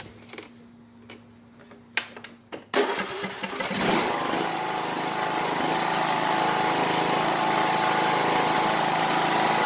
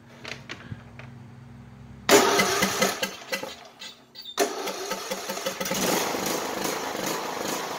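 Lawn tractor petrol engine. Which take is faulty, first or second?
second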